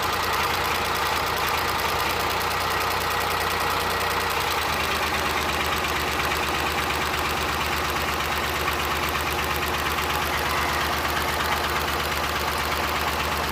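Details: Suzuki Multicab F6A engine at idle with an uneven, stumbling beat and firing pulses dropping out irregularly; random misfire being troubleshot.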